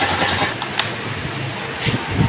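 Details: Honda motorcycle running after the repair: steady, even engine note with no knocks, rattles or ticks; the earlier noise is fixed.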